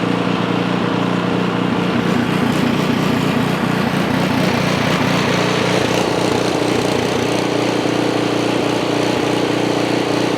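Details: Ariens Path Pro 208cc four-stroke single-stage snow blower, bought with a suspected surge, just started cold before warm-up: steady, even single-cylinder beat at about 220 a minute with no hunting or surging, holding speed smoothly.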